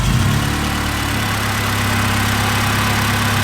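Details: Engine with aftermarket crank pulley after belt squeal, suspected bottom cover rubbing. Smooth steady idle, even low hum, no squeal or chirp over the belts.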